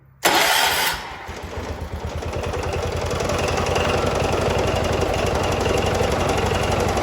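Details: 1979 John Deere 214 tractor, restarted next morning after parts were put back on following months of sitting: catches right away and settles into an even, steady single-cylinder putter with no misfires; healthy start and idle.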